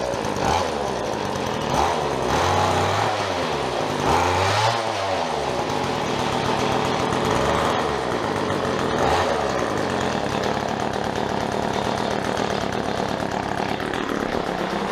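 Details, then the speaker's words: Whipper snipper rebuilt from two broken ones: buzzy two-stroke rising and falling through several revs then holding a high drone, runs and revs cleanly. "She's a runner. She goes pretty good. She revs pretty well."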